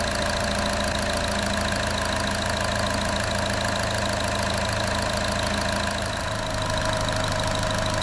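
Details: 2014 Chevy Cruze 1.4L turbo, freshly replaced engine at first start: steady, even idle with a smooth mid-pitched hum and a faint belt chirp expected to fade as it warms; engine sounds healthy, normal idle.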